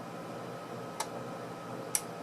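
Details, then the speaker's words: Bench power supply limited to about 500 mA while an LM747 dual op amp virtual ground output is shorted to check short-circuit protection: two sharp isolated clicks about a second apart as the supply rapidly changes current; normal. "That's because it's rapidly changing how much current's providing. So I set it to a maximum of about 500 milliamps of current, about that."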